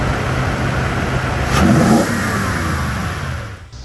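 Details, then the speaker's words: 2007-2011 Toyota Tundra 5.7L V8 just after installing a RedRock 4x4 cold air intake: steady idle then a quick clean rev rising and falling smoothly, no hesitation, no warning lights; normal start and rev. "everything's on. I got no lights on, so that's always a good thing. It seems to work. It sounds good."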